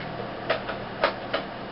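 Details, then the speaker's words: Dead 7200 RPM SATA hard drive with cover removed, powered in an external enclosure: sharp irregular clicks over faint steady hum as the head arm keeps slapping back, click of death. "And here's what the click of death looks like in real life."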